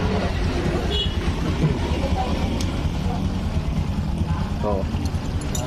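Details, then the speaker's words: Older carbureted Honda Supra X 125 after a rebore, new valves and tensioner, with the valve clearance readjusted: steady low single-cylinder idle with no ticking or tapping from the top end; the noise was only excessive valve clearance. "setelan klep doang terlalu renggang"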